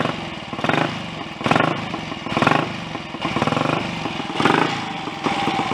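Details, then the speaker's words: Royal Enfield 250 GT single-cylinder after top-end rebuild (cylinder head, valves, upside-down valve springs corrected, pushrod, alternator rotor/stator fit): crisp beat picking up cleanly on throttle blips and settling evenly; oil pumped back, smoke settled; normal running. "but i'm quite encouraged by the way that sounds so perhaps my next installment with a bit luck might be a chat before we go for a ride on it"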